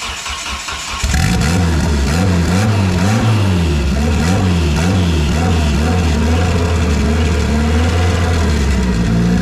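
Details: First start in a year after motor install with belt bottom end, new E85-compatible push-lock AN fuel lines and fresh coolant: cranks, catches at about one second, strong running note with smooth repeated revs; healthy start.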